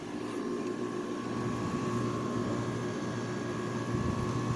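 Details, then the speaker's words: 2009 Haier window air conditioner, rotary compressor restarted after about a month unused, November: constant low hum with steady faint tone, no rattles or clanks, line beginning to freeze as usual; normal compressor running. "Compressor calm down. So yep, it's running. Nice sounding compressor."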